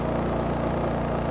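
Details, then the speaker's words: Honda EU3200i generator (GX130 single-cylinder OHC, fuel-injected, 89 engine hours) idling with no load at about 54–56 dB: soft, steady low hum with an even beat, no knocks or surging. Normal idle. "lots of Honda apps on my phone and you can hear it's pretty quiet this is about 54 56 DB right"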